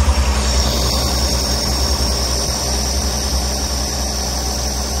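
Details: 1965 carbureted V8 after turn-signal switch and wiring repair, on choke after start: steady, even idle burble with a faint rhythmic lope, no misses or knocks; later just over 190 degrees, charging 14 volts.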